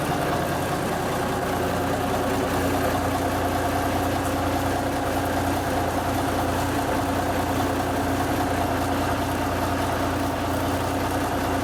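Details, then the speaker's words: 1974 Kenworth W900A with NTA420 Cummins diesel, started first try after three years sitting, on a borrowed battery: even, steady idle with a low constant drone and no knocking or misfire, echoing inside a building. "sounds good inside a building"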